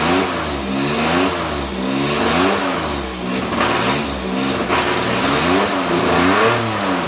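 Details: Nissan Z31 project after fuel tank install, fuel pump at 9 volts, earlier no spark until a connector was replugged: revs rise and sag unevenly, pitch wobbling and stumbling; runs rough, cause not confirmed.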